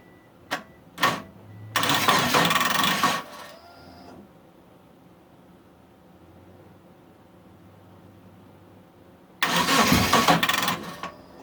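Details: Mitsubishi Eclipse after about 8.5 years sitting, fuel and spark confirmed, timing set, weak battery on charger: two bursts of even cranking at about four turns a second, never fires, crank no start; owner suspects the crank position sensor.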